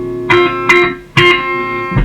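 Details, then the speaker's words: Fender Twin Reverb, reverb turned up full with the footswitch shorted: guitar notes sound completely dry with no tail; reverb dead, circuit thought fine and faulty reverb pan leads or connections suspected. "no no reverb there either so the problem is either inside the amp which i don't think it will be"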